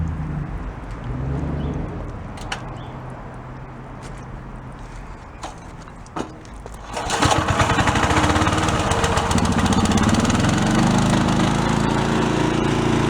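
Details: Cheap as-is garage sale commercial pressure washer, small engine: pulls and sputters, then catches and settles into a steady, even roar with no misses or knocks; runs normally.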